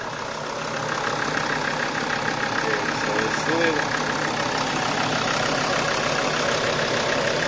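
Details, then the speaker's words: Engine knocking at idle with a light, fairly even tapping over the hum, on the sixth run to work through added fluid; the knock has not gone away, no cause found yet. "але на жаль стукіт нікуди не пішов не зник"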